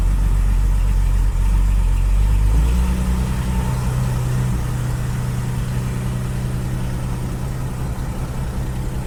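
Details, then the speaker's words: Classic car with Bosch starter and intermittently engaging solenoid: once it turns, engine starts within half a turn and settles into a steady, even low-rumble idle, no knocks or misses. "I mean, when it finally turns the engine, it starts on the button now. It is starting so reliably."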